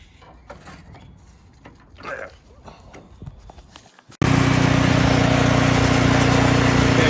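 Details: Snowblower started after belt replacement: after some quiet handling noise the engine catches and settles into a steady, even roar with no knocks or slipping; running normally again.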